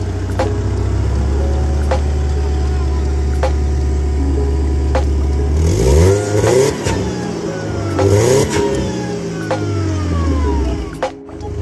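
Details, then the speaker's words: Mercedes W202 supercharged engine, first start after installing new stainless steel headers: it fires and settles into a steady, deep idle, then revs up cleanly and smoothly. Sounds healthy, much better than before. Normal start and idle. "That motherfucker sounds like you want to take off. So much better."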